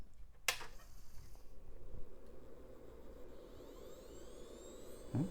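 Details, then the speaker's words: Hard drive in an early-'90s Pionex 486 computer at power-on: a click, then a faint high whine climbing as the platters come up to speed; quiet, healthy spin-up that sounds like it initialized. "did spin up and sounds like it initialized"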